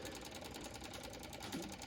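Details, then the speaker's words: John Deere 2038R tractor after fuel filter change: electric fuel pump ticking fast and evenly, about ten a second, while priming and pushing air out of empty filters until the filters fill with fuel. "fuel filters bubbling and once your fuel pump stops making that weird noise and it sounds like it's got good very good prime i'm going to cut it off"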